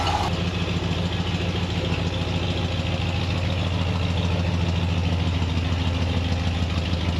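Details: Ford 302 V8 Econoline van just started cold after replacing bent #5 intake pushrod (suspected stuck valve), dual exhaust. Even, steady idle pulsing about three and a half beats per second, no clatter or tick; running healthy on eight.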